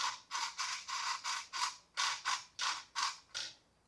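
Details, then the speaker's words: Traxxas 1/16 Mini E-Revo VXL steering servo, damaged in a skatepark crash: rasping gritty bursts about three a second, then it sticks and stops; servo grinding internally, steering linkage smooth with arm off. "oh there we go it got stuck right there we know there's a problem let's turn it off cuz we don't want to damage the uh we don't want to damage the server anymore"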